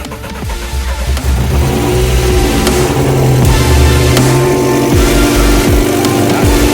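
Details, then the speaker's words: Decatalysed car at first start after 6 years standing, just after a coolant purge: harsh, very loud raspy exhaust on rough revving. The owner finds the manifold/exhaust noise too loud and suspects a leak somewhere in the line; smoke and smell follow. "on lance le contact alors attention sachant qu'elle est décatalisée ça va faire un bruit monstre allez c'est parti"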